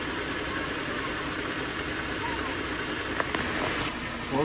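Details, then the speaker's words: Jeep Grand Cherokee 3.6L, after replacing the belt tensioner that caused a ticking in the engine bay: a steady, even idle with a smooth hum and no more ticking or rattle from the belt drive. "you go no more noise no more thank goodness"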